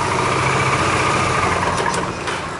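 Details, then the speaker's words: Dafra Maxsym 400i scooter, about 17,000 on the clock, idling with a thin steady high squeal from the CVT over a smooth idle; variator dirty, apparently long uncleaned, about to be dismantled for cleaning and inspection. "tá fazendo um chiado aqui na parte do CVT vamos desmontar para fazer a limpeza verificação"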